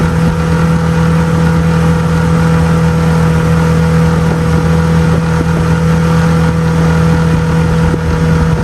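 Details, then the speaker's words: 6 hp outboard on 2002 1236 12-foot jon boat, on plane at a steady 13, touching 14: steady, even buzzing drone at constant pitch with no misses or surges; running normally. "the little sixh horse did pretty good did take a while to get on plane but once it did it got up to 13 steady 13 it actually touched 14 a couple times"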